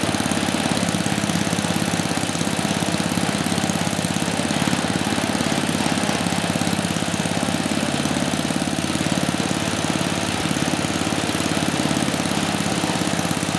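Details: 34-year-old Tecumseh H30-35387Y on a Troy-Bilt Tuffy tiller, with a new clone carburetor after a no-compression repair; steady putter at fast idle, fairly even firing with no knock or misses; running normally.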